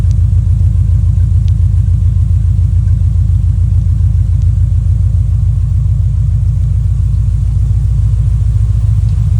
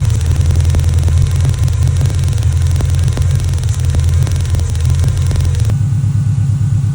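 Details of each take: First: Subaru Impreza GF wagon, with an ignition coil arcing/misfire issue and coil replacement: an even, steady, low idle thrum with no stumbles or skipped beats, firing on all cylinders. Normal idle. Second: Subaru Impreza GF wagon: rough lumpy idle with sharp snapping ticks about three times a second from an arcing ignition coil causing a misfire; coil replaced.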